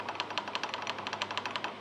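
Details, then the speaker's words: Kuat Piston Pro X bike rack after a tape fix to its adjustable wheel locks: quick, sharp clicking knocks about six a second over a low drone, still audibly knocking but less tinny than before, from sideways play in the wheel lock. "still does make an audible knock but what is most noticeable is that it is uh not as tingy as it was before"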